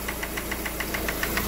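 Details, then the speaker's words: Lada Granta, with the timing belt cover and lower engine mount removed: sharp light ticking about seven times a second over a steady idle. A loose camshaft position sensor is knocking against the gear; hydraulic lifters had wrongly been suspected. "вот вот он друзья и стучит об шестерню"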